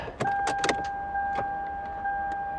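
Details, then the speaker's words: Heavily flooded Lexus (LS430), 151,675 miles, key turned: a steady fuel pump whine under a few sharp clicks, and the engine won't turn over. The engine likely ingested water and is probably done. "I hear the fuel pump I think engine just clicks dang it"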